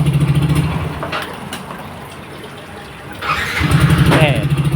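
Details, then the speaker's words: Yamaha Nmax, hard-starting fixed by replacing the starter one-way clutch: idle stops, then with one hand on the brake and no throttle it catches almost at once and settles to a steady idle; starts easily. "กำเบรกมือเดียวนะกดสตาร์ทนะอ่าติดง่ายๆเลย"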